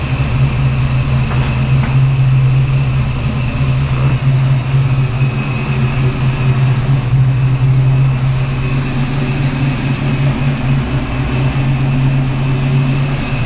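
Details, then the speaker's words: 408 Clevor V8 idling after initial ignition timing was reset with a timing light: deep steady burble, even rumble, no misses or knocks; sounds good, normal idle. "oh man better long time coming sounds good whoo she's old tap good sounds good"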